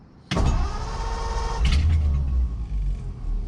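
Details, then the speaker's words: "The 40" that used to start right up; choked, one pump of gas, owner fears it is still flooded. Starter grinds with a steady low churn, engine fires briefly then falls back to cranking: won't keep running. "I don't know what's going on. This thing used to start right up. I don't want to give it gas because I'm afraid the thing's still flooded, but what the heck?"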